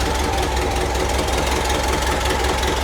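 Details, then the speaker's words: 1974 VW Bus air-cooled flat-four, freshly fitted dual Weber 34 ICT carbs and electric fuel pump, fires after a couple of pedal pumps and idles with a steady, even low chuff, no misses or surging. "Give it a couple pumps. Fire it up, maybe, hopefully. And she runs."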